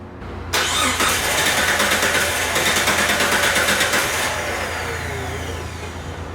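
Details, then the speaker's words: Vehicle that shuts off while driving and sometimes won't restart, started then died: steady starter cranking about three pulses a second for nearly four seconds, never catches, no communication; crank no-start, crankshaft position sensor suspected. "okay we got ourselves a no start i just turned the key off so we got no communication but i think you guys saw that"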